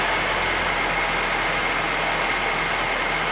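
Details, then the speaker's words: Barn Find Betty after stock carburetor swapped for a Weber on an adapter plate; steady even idle, no stumbles or hunting, smoother than ever; normal idle. "Oh man, that sounds good. It's never ran that smooth."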